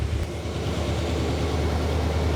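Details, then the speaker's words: 1979 Chevy Camaro barn find after a decade stored; smoky, deep even rumble at raised fast idle with choke likely on, running smoothly once cleared out. "oh wow it's smooth now whoa It's smoky look at her Idol I think the choke is on so the fast idle is working but it's running it's smooth too"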